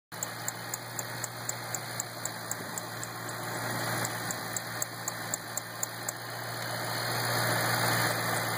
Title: '08 GT500 ticking noise - bad belt?